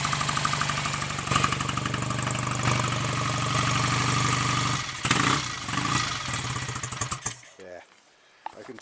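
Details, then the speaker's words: BSA A65 Lightning twin after full rebuild (reground crank, new big ends, main bearings, rings, valves, guides), Pazon electronic ignition: slightly lumpy lazy beat at fast idle, then fades and stops; timing still retarded, to be set with a strobe. "that that is still running too so um i'll put that in order next get the strobe on it and get the timing exactly as it should be"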